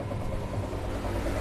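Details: Washing machine spin dryer that had been spinning slowly, tested after the repair: steady even low hum with no slipping, flapping or scraping; the drum now spins up fast and dries properly.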